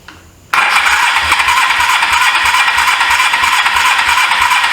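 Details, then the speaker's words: 1983 Suzuki GS450A automatic motorcycle, sat for years, on a car battery, choke on: silence then rough rattling run stumbling about three beats a second; carburetors need cleaning, fuel line leaking, new plugs needed. Hard starting. "Yeah, those carburetors need to be cleaned. My fuel line is leaking again. It only runs with the choke on."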